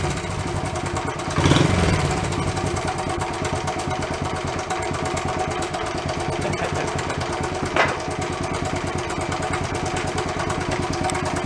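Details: Worn barn-find Honda Trail 70 (CT70) small single started without choke; uneven patchy lopey idle with ragged beats and a blip midway, cleaners possibly burning off. Rough running.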